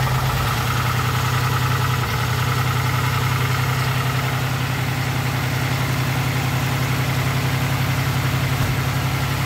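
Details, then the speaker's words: 2006 Pontiac Grand Prix base V6 just after top swap with replaced exhaust valve seals; steady, even idle with smooth low rumble, no knocks or misses – running cleanly and much smoother than before. "oh yeah we got smart little cheese in are you happier yeah bro everyone is so much smoother now"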